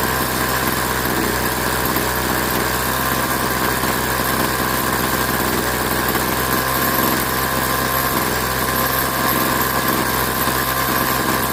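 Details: Craftsman 21cc Bushwacker two-stroke hedge trimmer after sitting nearly a year, blade disengaged: high, steady buzz at full throttle with no stumbling or cutout; holds speed cleanly, runs solid, carb tuning left as is.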